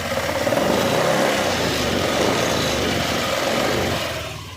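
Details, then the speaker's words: Honda Dio BS6 scooter, 37,000 km, engine opened twice before, idling just after a brake-pressed start: rough, uneven mechanical rattle over the engine note; mechanic suspects the clutch/pulleys or crank, not yet confirmed. "आप लोगों ने sound सुन लिया, तो इसमें ना clutch से sound आ रहा है, तो उसका क्रैंक का भी मुझे साउंड लगा।"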